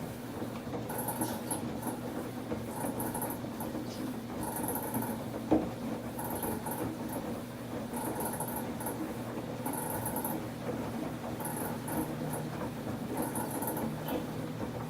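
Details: Samsung WF1124 front-loading washer: abnormal drum rotation noise growing more frequent, once loud only during spin, now loud during washing too; high squeaky chirps in short bursts every second or two, in step with the drum turning, over a low hum.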